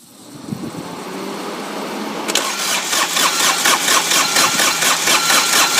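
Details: Dixie Chopper mower diesel that ran out of fuel, cranked with the injector lines loosened to bleed them. The starter churns evenly at about two beats a second with no firing. It cranks but will not start because of air in the fuel lines.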